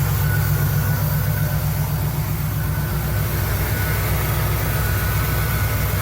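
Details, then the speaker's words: 1975 Cadillac Fleetwood V8 idling after resealing the valve cover gaskets, oil pressure building and temperature rising normally; smooth low burble at about four beats a second, no ticks or misses; normal idle, with slight smoke from old leaked oil burning off. "Yep. Sounds pretty good. Pressure building up. Temp's rising, it's normal. Everything looks good."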